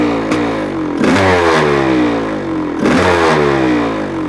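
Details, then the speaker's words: 1985 Honda CR500 two-stroke engine in a 2007 CRF450R chassis, first run after the swap with muffler fitted, in windy cold weather, just off choke: crackly revving in uneven bursts with slight blubbering; still running a bit rich. "motor sounds different with a muffler on it sounds pretty good huh it it's still a bit Rich which is okay sounds like it has a cam in it you know"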